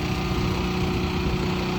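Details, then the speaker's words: Westinghouse WGen9500 DF generator, freshly broken in, on gasoline via 50 amp plug, running a 4-ton central AC without soft or hard start kit: steady, even beat under heavy load, no hunting or surging; normal. "We are running the air conditioner. That is a 4-ton air conditioner."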